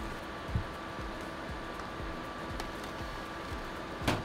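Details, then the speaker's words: Early-2000s custom-built PC used as cash register, brought in running hot with dead fans, after cleaning: soft steady whoosh, faint even hum, a few handling clicks; case fans spinning again with airflow restored. "all right here we go all right we got fan fan fan we're spinning all around"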